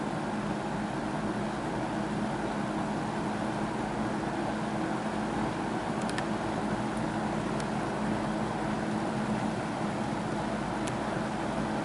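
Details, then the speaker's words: Wesston all-plastic box fan, old and dirty, on high after running a while as the old oil warms: steady soft whoosh with low hum and no rise; the fan stays below its proper speed and seems to slow slightly. "I don't know if it's going to pick up speed anymore here. It almost seemed to slow down slightly while I was talking there, so I think she's not going to get any faster than that, and I think it should."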